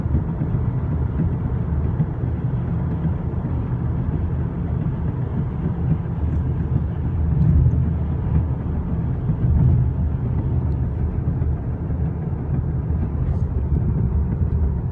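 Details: 2013 VW CC R-Line at road speed: a steady low droning rumble from the tyres that swells slightly now and then; cause undetermined.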